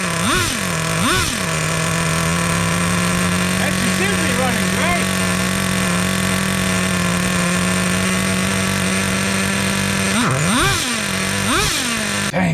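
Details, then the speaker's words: Traxxas T-Maxx with TRX 2.5 nitro engine from 2002, revived after sitting 17 years, carburetor leaned out: high steady buzzing note between clean sharp rev blips; runs strong. "she's running good"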